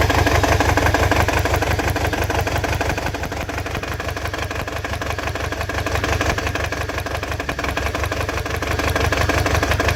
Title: Long video. 22ret misfiring.